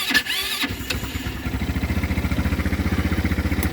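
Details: Small ATV hard to start in the mornings, a brake must be held to crank: starter churns at a quick, even beat of about ten pulses a second but the engine doesn't fire; long cranking advised against.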